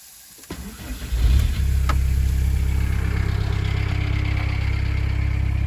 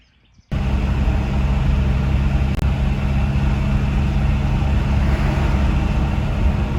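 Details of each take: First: 1988 Volkswagen Type 3 Transporter Synchro after a new exhaust pipe was fitted to replace the broken one: the starter whirs, the engine catches with a rev and settles to a steady low idle with no puffing or rasp. Normal idle. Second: 1988 Volkswagen Type 3 Transporter Synchro at steady idle with a broken exhaust pipe: a loud, deep, uneven rumble with a raw, blatting edge, far louder than a sealed system.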